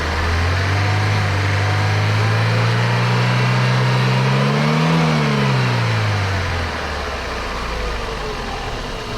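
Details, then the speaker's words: 2005 Daewoo Lanos 1.5 L: fuel pressure below 2 bar at idle (spec 2.8, 3.2 revving); revs climb slowly on gentle throttle but bog on sharp blips, engine starved of fuel pressure; also bogs and pops in intake when driving. "бачимо що на холостому і до двох бар не дотягує якщо відкриватись плавно то двигун набирає оберти але якщо короткочасне різке відкриття то він просто затикається і починає"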